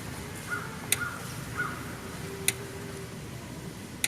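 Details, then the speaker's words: Parmak Solar Pak 6 solar electric fence energizer, about two weeks in use, with an 8-foot ground rod about 7 feet deep: sharp single ticks about every 1.5 seconds over quiet outdoor birdsong, the normal clicking that shows it is sending out a charge. "hear the clicking sound that's how you know it's it's sending out a charge"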